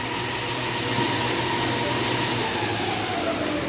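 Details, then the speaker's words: Ceiling-hung air-conditioner indoor unit after repair, with the sagging assembly packed up level so the fan motor sits true: only a soft, even fan hiss and a faint hum, no rubbing or rattles, running quietly and normally. "ก็ตอนนี้ก็เงียบนะครับไม่มีปัญหาเหมือนระดับมันไม่ได้นะครับโอเคนะครับไม่มีเสียงแล้วนะครับเงียบนะ"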